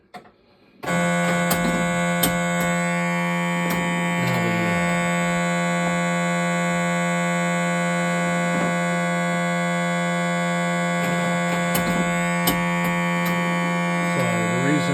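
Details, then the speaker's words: Gottlieb System 80 sounds-only board set by dip switch to Counterforce sounds in a Spider-Man setup: steady buzzing drone stuck on after ball drain, because Counterforce's sound software interface differs and fails to turn off a sound. "it sounds like that right now is because of the software interface of the sound card for counter force is slightly different than Spiderman and when it drains the ball it doesn't turn off a particular sign"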